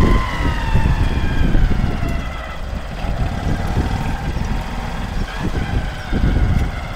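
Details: Honda CBF125 M-9 idling: low uneven thumping with a faint wavering whine on top; owner seeking help, cause unknown.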